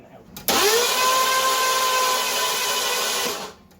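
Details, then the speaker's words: 1982 Ford LTD after a carburetor rebuild, spark plugs out, cranked to check the valves open and close. Starter whirs up fast to a smooth, even spin for about three seconds with no chuffing pulses: cranking without compression. "uh just because i wanna make sure that the valves are opening and closing and everything just to make sure that if there's any chance of gas getting in there it gets in there"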